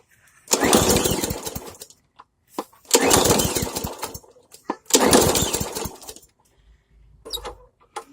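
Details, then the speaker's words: Briggs & Stratton Hyper Tough mower with no choke (the handle acts as choke): three pull-start cranks, each a short rattling spin that dies without catching. It cranks but won't start; the owner suspects it needs more gas. "Well, it may not start, but maybe if it has more gas in it, I can start it for y'all."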